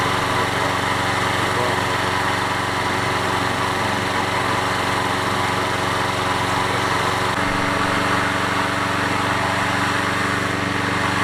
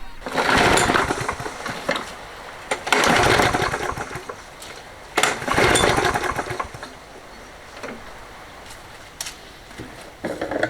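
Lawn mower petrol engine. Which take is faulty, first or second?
second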